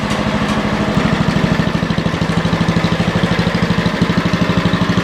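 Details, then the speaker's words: 40-year-old Lincoln Weldanpower 150 genset welder (about 1977–78), running just after welding at 150: steady, even firing beat of about three pulses a second, no misses or knocks. Runs good. "Oh, so she runs good. Yeah, so Old B Store runs pretty good, and it's it's handy to have these machines."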